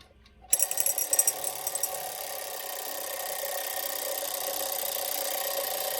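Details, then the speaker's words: Vintage Landau alarm clock bell gives a short, uneven rattling burst instead of a steady ring; it wouldn't ring properly when loosened or when tightened, so the bell is mis-adjusted. "it's weird like i loosened it and now like it wouldn't ring properly and i tightened it in it was too tight it wouldn't ring"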